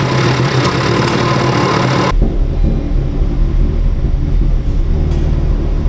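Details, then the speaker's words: Wrecked 2019 Honda Civic Type R being rebuilt: the engine runs loud and uneven with a lumpy rumble, just like a car that had a cracked intake manifold. An air leak on the intake manifold is suspected. "we've heard this sound before definitely haven't we on the Black Tie far when it had a cracked intake manifold identical sound all right we know the problem already it is an air leak it's an air leak somewhere on the intake manifold"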